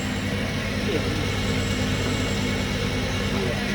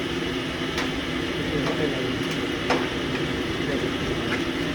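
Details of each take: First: Screw-type coconut milk press pre-delivery test pressing pulp already run dry 2-3 times: steady low motor hum, even drone, no labouring or knocking; motor not loaded, normal running under light load. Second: Mini green four-bolt screw-type coconut milk press on pre-delivery test: gritty, constant gear growl with occasional sharp ticks over motor hum; gearbox bearings noisy and due for replacement.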